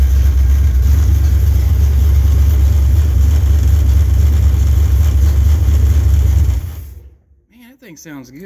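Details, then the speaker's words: 1968 Camaro, rebuilt .060-over 327 V8 with a lumpy performance cam, Edelbrock 750 carb and intake, HEI distributor, on its first start: loud, deep idle with a steady lopey rhythm, about three and a half pulses a second; running healthy. "he's got some cam in it too you can hear the thing it's got a pretty good little long stick in it"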